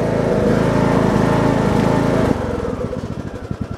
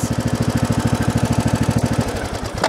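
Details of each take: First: Briggs & Stratton Intek 17.5 HP engine, about 200 hours, part choke: loud steady running, then uneven hunting idle rising and falling; surging, less under load, idles terribly; dirty carburetor suspected, to be cleaned. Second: Briggs & Stratton Intek 17.5 HP lawn tractor engine after carburetor cleaning: steady, even pulsing around fifteen beats a second with no stumbles or hunting; clean normal idle, runs better.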